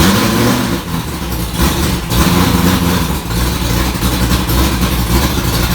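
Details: 1965 Ford Falcon race car V8 just after start following rewiring: loud, steady, lumpy idle with deep even throb, burning-dust smoke only, no knocks or misses; healthy.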